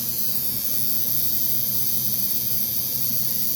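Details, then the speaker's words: Cheap $7 Chinese coil tattoo machine tuned for lining, buzzing steadily with no stutter at 118 cycles per second and 46% duty after adjustment from 115 CPS and 43%; target is 45–55% duty at about 120 CPS, tuned and running smoothly. "there we go 118 cycles per second 46 duty that looks good"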